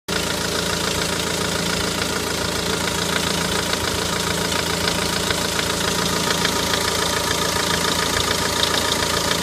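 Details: Renault Megane 1.9 dCi after replacing the damper pulley, tensioner and belt to fix a squeak: steady diesel idle with even, light clatter and no belt squeal. Normal diesel idle.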